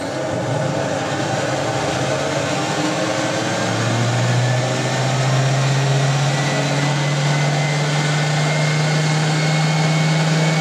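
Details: Spin dryer (Hoover 3021 or Creda Debonair 37061) giving a woollens load an extra fast spin outdoors: steady hum rising in pitch over a few seconds, then holding constant; normal even spin at full speed.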